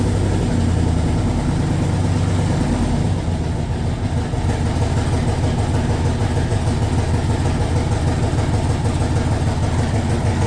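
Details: 1967 Corvette convertible with LS2 V8, first start after wiring and battery install, fuel pressure 50, cold on default map before operating temperature: loud, deep, steady, slightly lumpy idle about three pulses a second, no knocks or squeals; normal cold idle.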